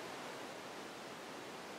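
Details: Carrier 92% efficient condensing natural gas furnace, first floor, two zones: very loud burners firing just after start-up, an even steady rushing roar with no pulsing, rumble or popping, before the blower comes on; normal burner operation.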